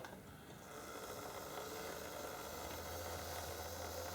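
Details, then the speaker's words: Old Tri-ang TransContinental Pacific loco motor on the lowest setting of an old Meccano controller, wheels clear of the ground: soft, even whir with light fast gear patter at steady pitch; normal running order. "and that that's pretty good there's no reason to believe that that is anything less than normal running order and that's on the lowest setting"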